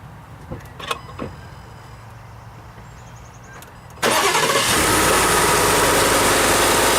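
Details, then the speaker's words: Ford F-150 after its first oil change, oil filled nearly to the top of the dipstick crosshatch: the starter cranks briefly, the engine catches at once and settles into a steady, even idle with no knocks or misses. "Does it sound okay? I think it's all right. Let it run for a few minutes there, and then we'll let things settle again."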